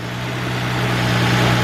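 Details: 2003 Nissan Maxima GLE 3.5 after a partial engine rebuild and new cat, first run after cranking up oil pressure: a smooth, even idle with a steady low hum, no knocks, misses or ticks. Normal idle.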